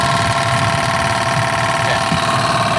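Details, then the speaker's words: Toyota MR2 AW11 (4A-G) idling warm after coolant flush and thermostat replacement, fans cycling on and off: steady fan whir with a faint repeating rub tick; radiator fan blade rubbing on the shroud. "I mean I'm not going to call it a mystery because it's very clearly the fan rubbing on the Shroud"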